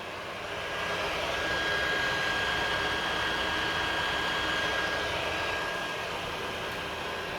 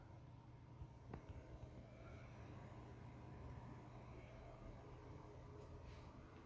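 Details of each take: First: PS4 Pro running about five minutes playing WW2, before cleaning; constant loud rushing roar with a thin steady high whine: cooling fan running flat out. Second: PS4 Pro after cleaning the fan and interior and renewing thermal paste, running almost 40 minutes at the Modern Warfare start menu; only a faint, steady low hum with no rattle or whine: normal fan noise.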